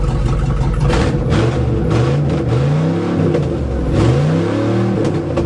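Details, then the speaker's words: GMC 4x4 pickup after its fuel line was redone in copper to cure fuel starvation: steady idle, then it climbs cleanly through several throttle blips with revs rising and falling smoothly, no stumble; sounds good. "That sounds good. I like it."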